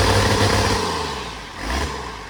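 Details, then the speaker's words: 1993 Dodge W250 with an intercooled Cummins diesel, reportedly 120,000 miles, running with no exhaust fitted: a steady, deep, raw unmuffled rumble that is a little louder than usual but even. The engine sounds smooth and healthy. "Bye. Go. No exhaust."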